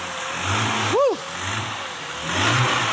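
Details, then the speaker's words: Kia Stinger GTS turbo engine, first start after rebuild, cold start idle: steady idle then a quick throttle blip rising and falling cleanly with no stumble or popping; normal free rev. "She's still at cold start idle right now. Give it a little throttle. Let's listen to it. Yeah. Sounds great."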